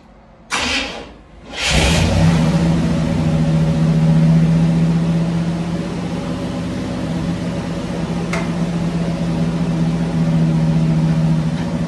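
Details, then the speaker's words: 1965 Cadillac Coupe DeVille V8, off the road about 15 years, oil not yet changed, on jack stands in reverse; steady even idle but sitting slightly high, needs lowering, high idle. "still feel like it's islanding a little high I got to figure out a way to bump that"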